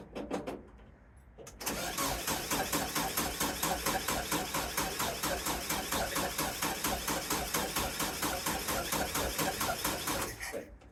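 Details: VW sandrail dune buggy sat 18 months, being checked for cold-start solenoid, coil voltage and plug spark; starter cranks at an even, quick beat for about nine seconds with no firing. Fuel reaches the carb; won't start, cause unconfirmed.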